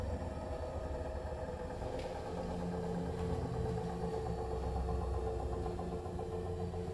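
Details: New Bosch Serie 4 EcoSilence washer, technician-installed with transit screws removed, during spin: steady low rumble and droning hum under faint irregular clatter from drum/spindle, brushless motor quiet; 400–1400 rpm, loaded or empty, cause unknown.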